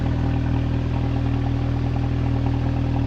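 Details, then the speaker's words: Audi TT petrol engine just started cold after a long misfire repair and cylinder head rebuild: smooth even idle, slightly high until warm, no misfire stumble. Normal. "That's good. Sounds good. It doesn't sound misfirey."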